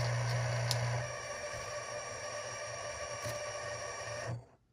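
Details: Canon EOS R5, used only a few times, shooting 4K 120fps video in falling snow: harsh mechanical buzz and grind pulsing about four times a second inside the body, then cutting out; defective, returned to Canon.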